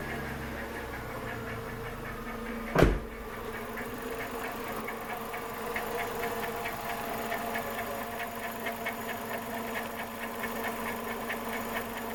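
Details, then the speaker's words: VW SpaceFox 2007 1.6 8V petrol engine idling evenly with a faint, steady, fast ticking chirp; probably a noisy pulley or bearing, source still being traced. "no motor provavelmente uma polia um rolamento que tá zoando por aqui dando umas estradeiras por aqui"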